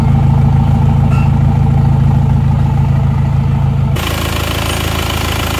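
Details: Isuzu Panther diesel just started after blow-by repair (polished per machine shop advice): even, steady idle right after firing, smooth regular clatter, no misses or knocks; thin black smoke, no dipstick blow-by; normal idle.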